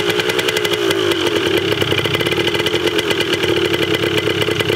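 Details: 1980 Yamaha DT 125 Enduro two-stroke, first start, battery uncharged, very low compression noted, carb not yet cleaned: crisp rapid popping at steady fast idle with even firing and bright buzzy edge; healthy while warming up.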